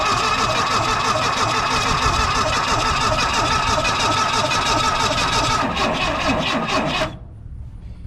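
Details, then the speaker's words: 1980 Ford Mustang hatchback parked since 1991, starter jumped at the solenoid with a screwdriver: even cranking about three beats per second for seven seconds that never catches; seems to have good compression, owner suspects no spark. "I don't think it's got any spark. Sounds like it's got good compression."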